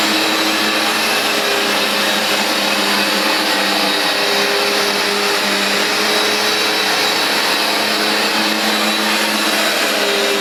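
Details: Vax Dual Power Total Home carpet washer, new replacement unit, cleaning a very dirty new rug with heavy foaming: steady airy suction-motor roar with constant brushing hiss from the dual brushbar beating and grooming the pile, no knocks or pitch swings; running normally.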